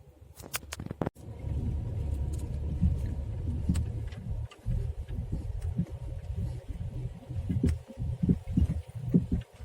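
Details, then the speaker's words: Skoda Rapid with worn front left shock absorber, driving in first gear over a rough road: dull, irregular low thuds from the front; small potholes produce no sound. "хочу показать признаки ну и звуки выхода из строя амортизатора в данном случае у меня переднее левое"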